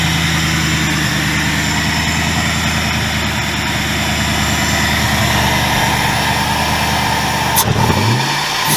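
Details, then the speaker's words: 2000 Ford Mustang GT with a Lincoln Mark VIII 4V swap engine. After revving, idle hangs high about four to five seconds before dropping. Owner attributes it to the ECU being from an automatic 2003 Mercury Marauder: hanging idle after revving. "if you listen to the uh after i revved it you notice that the idle hang a pretty good mount for about four to five seconds and then it dropped that issue is because the ecu i'm using is out of a 2003 mercury marauder"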